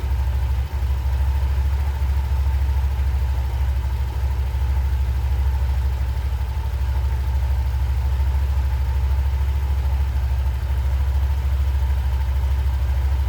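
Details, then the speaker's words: Honda Vario 125 ESP scooter after blowing dust out of the clutch bell with a compressor, without removing the clutch shoes or roller housing. A steady, even drone with no shudder or knock when throttle is applied: the pull-away judder is gone. "Hai mantep suaranya jadi normal kembali ya enggak ada ngleduk di awalan ketika gas ditarik"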